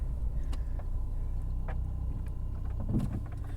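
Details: 2008 Subaru Outback driving, recorded inside the car: a rough low grinding rumble that gets much worse on left turns. Badly worn front wheel bearing, before replacement.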